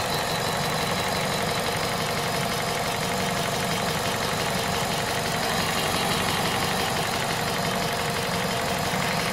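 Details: Citroën/Peugeot VTi 120 petrol engine at 98,500 km, hot at idle: a steady, busy metallic rattle over the running note. Abnormal hot-engine noise, source unknown.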